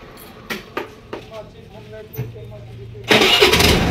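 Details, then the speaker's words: Honda Activa 5G scooter after fixing its current problem (CDI/spark current checked): key on, a few light clicks, then one self-start press fires the engine straight into a steady run; normal electric start. "अब गाड़ी self start मारेंगे यहाँ पर, देख पाएंगे एक ही self में गाड़ी हमारा स्टार्ट इसलिए ना आ रहा है।"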